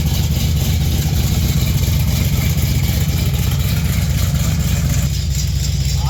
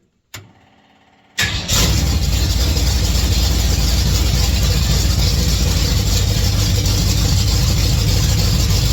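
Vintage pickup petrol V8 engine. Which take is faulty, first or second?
second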